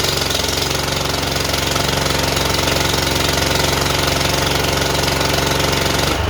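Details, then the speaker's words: John Deere JX85 commercial walk-behind mower, previously hard starting and surging, after repair and tightening the air filter cover, started on full choke with blades engaged: steady, even engine beat, no surging or hunting under cutting load. "I'm not hearing any surging I think we took care of it whatever it was yep going to go ahead and engage the blades"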